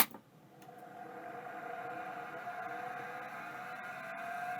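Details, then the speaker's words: Fujitsu M2234SA hard drive powered with 12 V to the spindle connector: spins up with a thin rising tone and faint gritty edge, a rough spindle bearing; does more than retract heads, needs further diagnosis. "pretty rough spindle okay this definitely does more than just pull the head back so we might actually have to do some diagnosis on this one"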